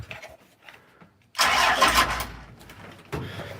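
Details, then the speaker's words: 12-valve engine (from an 1989 W350) in a truck with no muffler: short crank, then a loud, slightly uneven clattering diesel idle. It lopes at idle because of a current injector issue. "so when you fire it up, it'll lope at idle, just because it's got that injector issue right now."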